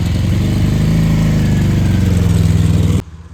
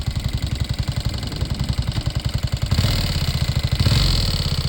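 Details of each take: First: Homemade mini buggy/kart cross during a first acceleration test: deep, even twin-cylinder drone with steady firing and no knocks or rattles; owner had worried about a head gasket failing; the engine sounds healthy, normal running. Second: Homemade carbureted vehicle, while accelerating in gear, not in neutral: uneven pulsing engine rising with each throttle blip and extra knocking from the cylinders, cause unknown; white smoke seen afterward.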